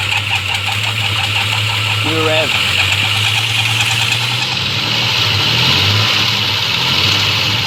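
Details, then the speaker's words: 1992 Ford Falcon EB II petrol engine runs rough and uneven, stumbling on about three cylinders; compression slightly down and spark above expectation on test, so the misfire is suspected but the cause is not confirmed. "so if you're wondering what all that noise was so did i it was so unhealthy and so unnatural and so much like a ford it also was only running on three cylinders or so go figure huh"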